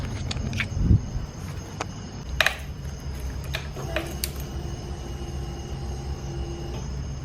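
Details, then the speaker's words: 2021 Kawasaki KLX230 whose battery had been dying more and more often, left sitting a week. Pressing the starter gives a couple of dry clicks and a weak hum with no cranking: a dead battery, later fixed by a replacement battery. "well over the last few weeks it started happening often and then i let the bike sit for like a week and went to go turn it on and all i got was"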